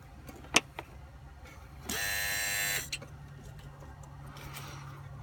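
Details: 2003 Volvo S60 2.5T AWD at quiet idle: a steady high-pitched electric buzz starts, holds about a second, then cuts out; it is felt as vibration in an engine-bay hose the owner suspects is a coolant line. Intermittent buzzing, cause unconfirmed.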